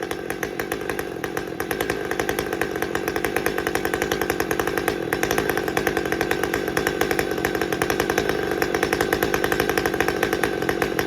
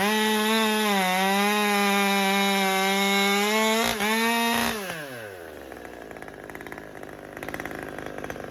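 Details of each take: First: Husqvarna T540xp Mark III chainsaw, about 6 months old with performance work and auto-tune, after fuel filter replacement: steady, even two-stroke idle with a fast regular beat, no stumbles for over a minute; stalling cured. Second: Husqvarna T540xp Mark III chainsaw, about 6 months old with performance work and auto-tune, warmed up: steady buzzing idle sags once, then pitch winds down and it dies; lean stall later traced to a restricted fuel filter.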